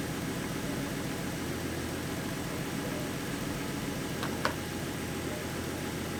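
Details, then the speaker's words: 2014 Ford Mustang 3.7 V6 after replacing the water pump with the newer design to cure a knocking and grinding noise: smooth, even idle with steady low hum and one small click; noise gone, engine healthy. "she sounds healthy it sounds better than it did before so yeah guys the water pump did get rid of the noise"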